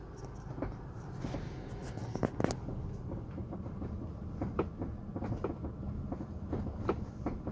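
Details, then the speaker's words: Geely Atlas 2.4 L 150 hp while driving: irregular sharp creaks and ticks over road rumble, seemingly from the rear of the cabin; owner suspects the rear seat, cause not confirmed. "вот сейчас еще раз покажу как у меня скрипеть и попробуем сами устранить это слушайте"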